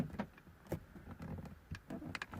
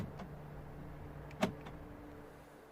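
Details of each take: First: 2009 VW Golf whose interior lock button would lock but not unlock: scattered clunks at uneven gaps, locks cycling only when button pressed harder; intermittent central locking, button fault suspected. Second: 2009 VW Golf interior lock button after cleaning repair: four crisp lock clunks about 1.5 seconds apart over a faint hum; central locking now works normally.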